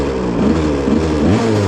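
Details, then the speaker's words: 1986 Yamaha YZ125 two-stroke barn find, after adding oil to cylinder, confirmed strong spark: fires straight up, revs crisply with even healthy note, a little smoky at back, likely burning off added oil: normal running. "fire it up starts right up a little Smokey at the back hope that go"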